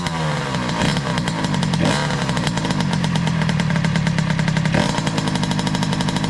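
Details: 2003 Kawasaki KX60 two-stroke on 40:1 premix, just revived, choke off; crackling, uneven revs sagging and stumbling as it nearly dies. It bogs and stalls off choke.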